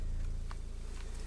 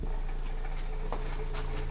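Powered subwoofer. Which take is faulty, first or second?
second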